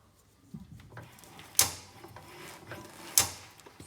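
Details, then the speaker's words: Skoda Superb steering rack clicking when turning the steering wheel: two sharp, dry clicks with faint knocks, reported by the customer as a loud noise; the suspension was checked and the noise traced inside the steering rack, which needs replacing. "so this clicking noise is it is inside the steam rack and to have it rectified the steroid needs to be replaced"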